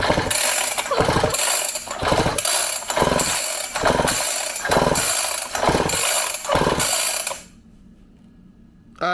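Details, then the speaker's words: Syx Moto 50cc two-stroke dirtbike that won't start: steady recoil pulls about once a second spin it over, with the plug out and grounded to the head, but there is no spark. The ignition coil is faulty. "see any sparks so that's probably why it's not starting before i do anything else i'm gonna put a good spark plug in it"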